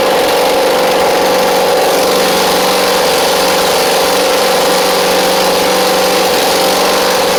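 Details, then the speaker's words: Husqvarna Z4822 zero-turn mower twin engine: steady buzzy idle with slightly uneven beat, running on its own without choke. Right side seems not firing; owner suspects a carb issue, jets need cleaning. "Does not feel like the right side is firing though, so we may have a little bit of a carb issue on the right side. They just need a good clean of the jets."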